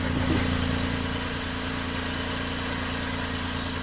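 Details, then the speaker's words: Flood-submerged Suzuki Cappuccino 3-cylinder turbo after freeing the stuck injector: steady, even idle with a low smooth hum, no knocks or misses; exhaust water is harmless condensation; normal idle. "chắc chắn có vấn đề với kim phun mà tôi đã gõ với hy vọng rằng nó sẽ giải phóng cái bị kẹt và nó đã hoạt động, đừng lo lắng."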